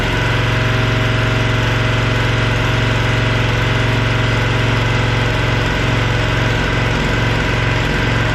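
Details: Cub Cadet log splitter, decades old, just refueled with a mixed fuel batch plus K100: small single-cylinder engine runs at a steady, even drone with no misses or knocks; normal.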